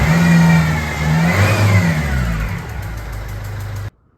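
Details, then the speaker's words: Ford Fiesta 1.4 diesel at idle: a loud, uneven tick about twice a second over the clatter, with diesel smell in the cab and some smoke, plus a faint whine (suspected power steering pump or alternator); suspected leaking injector sealing washer, to be tightened. "So as you can hear, the biggest problem with this car is that loud ticking noise we've got. We also got a whining from the engine bay. So with the ticking noise, there's a strong smell of diesel coming through into the cab."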